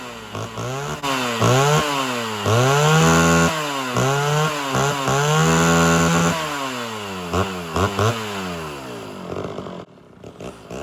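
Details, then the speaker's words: Homelite Super XL chainsaw after cylinder and carburetor rebuild, carb screws started at one full turn each: repeated blips from idle to high scream and back, rising and falling cleanly while low then high mixture screws are adjusted; normal revving. "so let's find out start adjusting the low the low screw start getting out to the high screw"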